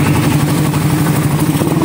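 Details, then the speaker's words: Suzuki Raider 150 running after an engine refresh that left it non-starting was repaired, with a new block so it is not revved hard. A smooth, even, low drone with no knocks or ticks; normal quiet idle. "Wow! Tahimik na tahimik yan, no? Ayan, bomba pre ng konti."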